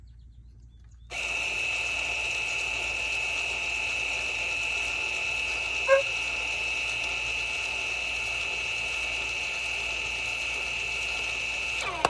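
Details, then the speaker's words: 2017 VW Tiguan rear electric parking brake motor powered directly from a 12V battery for pad replacement: steady high-pitched whine for about ten seconds, then a change as it binds fully retracted; retracting normally. "There it goes, it just bound. So that means that the shaft that pushes down on the piston is pulled all the way back up in."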